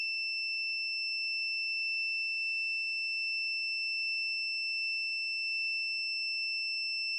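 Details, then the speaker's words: Electric dryer that got hot and stopped: continuity tester beep holds one steady high tone while the thermostat is heated with a lighter, never breaking; thermostat stuck closed. "That it's not stopping. But now it should stop if it opens. So in this case, this sensor will not open. That means it's stuck closed."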